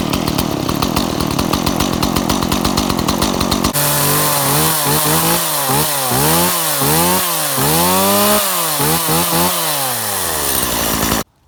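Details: Stihl MS170 chainsaw after a carburetor install with new gas and a new spark plug: a rough, choppy idle settles into clean revving, and the pitch rises and falls smoothly with throttle. It runs properly.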